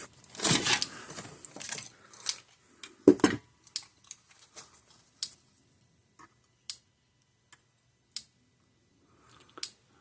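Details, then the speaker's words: Parmak Magnum 12 (Mag 12 UO) electric fence charger with rusted, corroded contacts from water ingress, on a bench power supply: even, clean single clicks about every 1.5 seconds, gauge showing about 7,500–8,000 volts; charger firing normally. "so as soon as you put power to it it turns on so far so good I can hear it clicking"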